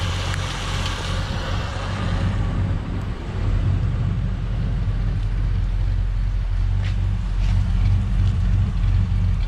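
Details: 1967 Ford Galaxie 500, 289 Ford V8, warming as the thermostat opens during the 30-minute break-in: deep steady burble with a faint occasional lope; idle slightly uneven, and owner suspects the carburetor idle screws need adjusting.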